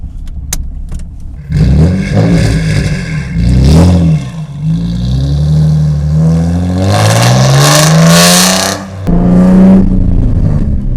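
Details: 2003 Nissan 350Z, 3.5L naturally aspirated V6, rear-wheel drive, with a manual transmission, on a drive: revs rise and fall through the gears with a short harsh rasp on the shift. This is the notorious worn third-gear synchro grind.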